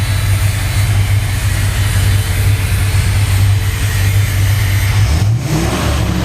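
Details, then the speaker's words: 1968 Corvette V8 rolling chassis, electric fan running: deep even rumble rising and settling with throttle, lumpy cam beat beneath; healthy engine. "And again, a nice purr of the cam. There she is."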